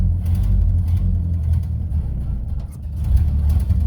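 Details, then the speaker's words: 1931 Ford Model A Coupe, out of storage 4-5 years, just restarted after fresh oil, spark retarded: low, steady four-cylinder chuff with throttle blips, even firing, no knocks or rattles; runs great, normal running. "I think I have the valve off actually, but the good news is it runs great."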